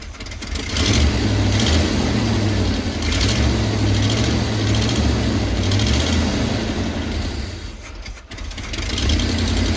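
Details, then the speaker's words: 1985/1986 Chevy Hi-Cube van, ex-police vehicle, revived and running after priming the fuel pump: steady, even V8 idle with a deep, smooth exhaust note and no knocks or misses; sounds healthy, though vacuum lines still need replacing. "It runs pretty good. Sounds pretty healthy."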